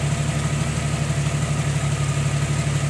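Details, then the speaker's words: Jeep Wrangler that had shut off, after tightening the battery-to-fuse-box main wire connector: steady, even idle with a low regular pulse about three per second, no stumbling; running fine. "Because that thing just shut off on me. Now it's running fine."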